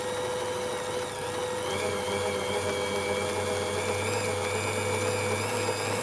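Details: Singer 201k sewing machine with a DIY servo motor, speed reducer and force-control pedal. A light, even stitching chatter and quiet motor whine climb smoothly as speed is gradually raised from slow (8 stitches/min) toward max 540 stitches/min. Healthy, normal running.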